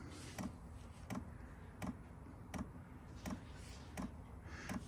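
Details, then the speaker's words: Happybuy 5kW diesel heater, first start set to high speed, fan running: quiet steady clicks about every 0.7 s over a low hum as the fuel pump kicks in drawing fuel to the burner; normal pump ticking. "see what happens when this pump starts clicking so the pump just kicked in it's going to be drawing fuel in now apparently to the burner"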